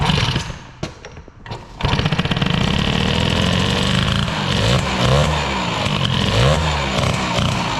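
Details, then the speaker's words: Peugeot 103 with Airsal 65 Piaggio-scooter cylinder, warming up after mixture screw closed; held idle cold, but warm mixture enriches; after sputters a fast busy idle with revs wandering upward, idle speed set far too high. "maintenant qu'il est chaud il tient plus ça veut dire quoi bah c'est simplement le ralenti et beaucoup trop"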